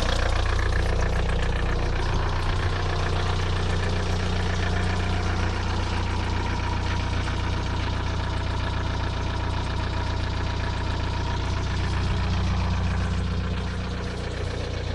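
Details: VW TDI 90hp diesel at idle: regular, pronounced knock-tick two or three times a second over the clatter. Began the day after a 600 km trip, persisting five months. Lifters and injectors replaced, oil pressure OK, oils tried. Owner suspects wrist-pin play.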